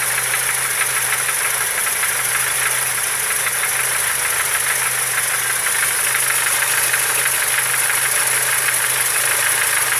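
A steady light knocking, roughly three a second, runs through a smooth idle; a knock inside the engine, cause unknown.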